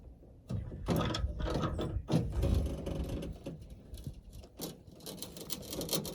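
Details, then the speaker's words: 1974 GMC Suburban door window being cranked: uneven crunching and ratcheting in bursts with glass binding; window off its track, risk of shattering the glass. "and this the crunching noise is not good so I'm going to pull it apart make sure we're not going to shatter this glass"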